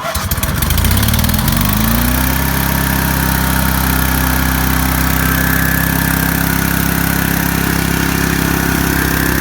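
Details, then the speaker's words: Welder/generator engine, run the day before, warming up after choke start for AC welding: catches and settles into a steady even beat about four firings a second; running smoothly. "Let it warm up. And I did have it running yesterday."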